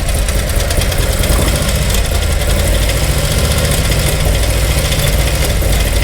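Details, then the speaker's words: Harley-Davidson Milwaukee-Eight with Screaming Eagle Stage 4 kit; loud low V-twin idle with a quick ticking clatter following engine speed, heard toward the rear and lower engine; suspected rear exhaust lifter or broken valve spring, unconfirmed. "hopefully some of that noise is coming through I'm going to make a early prediction that is a rear exhaust lifter or a broken valve spring just just because I feel like I hear back here but also a little bit down here"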